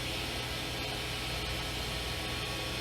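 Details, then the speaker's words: New 2016 Haas VF2 CNC vertical machining center, spindle at 1500 RPM, recorded close-up through side door: steady even whir with low hum underneath, no knocks, grinding or whine; normal spindle run. "So spindle's now on and operating at 1500 RPM."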